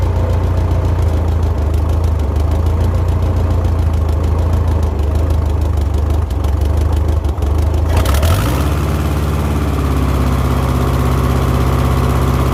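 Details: 1970s Layton roller compactor, Ford Taunus 60-degree V4, previously ran about 20 seconds then died (fuel delivery suspected): steady even idle then clean smooth rev rise, no misses or knocks; fixed.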